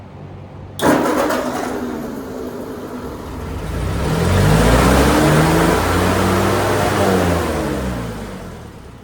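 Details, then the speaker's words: 1946 Ford 2N tractor just re-ringed, carburettor and points readjusted: engine fires abruptly and climbs to a fast, steady idle far above normal; owner suspects the governor. "That's way too much idle. That must be the governor. But it runs."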